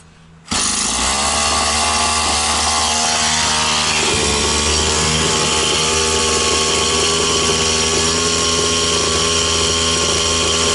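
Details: Stihl 180 chainsaw after piston and crankshaft seal replacement, started after spraying petrol into an oil-flooded cylinder: steady crisp high buzz, even revs, no surging or hunting; revs normal, no air leak anywhere.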